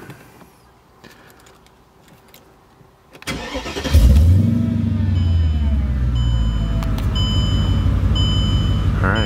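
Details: Mercedes CLK55 AMG with M113K engine after repair work, fuel pump priming and rail pressure good; cranks briefly, catches cleanly and settles into steady, even idle with no misses or knocks; healthy start.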